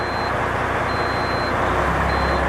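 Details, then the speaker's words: International 9400 with a ZF AS-Tronic gearbox, previously not driving, now with clutch releasing and input shaft at zero: diesel idle under three high reversing beeps; reverse engages and the truck tries to move. "машина пытается ехать передача включилась"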